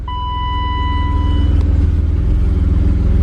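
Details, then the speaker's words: BMW E34 535i M30 on its first start with a spare battery. A chime, then it catches cleanly and settles into a smooth, even, very quiet idle. It runs like a champ. "look at dude this thing this thing runs dude this thing runs like a champ oh my goodness this might be the quietest m30 i've ever heard i'm i'm blown away right now"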